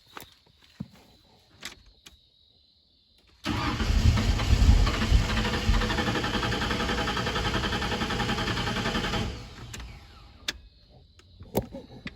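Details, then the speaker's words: 1991/92 Ford F150 with an electric fuel pump that does not run, after swapping the three fuses: about six seconds of steady cranking that never catches. Crank, no start; the tank must be dropped. "All right, so that did nothing. Shocker."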